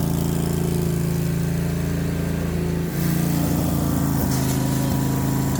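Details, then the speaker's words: Lawnmower single-cylinder engine after a carburetor swap and tune-up, run without the air filter: idles at a steady, even beat without surging or stumbling; running cleanly. "I couldn't help myself. It was idling so good that I felt like I needed to go try it, even though I don't have the air filter on it."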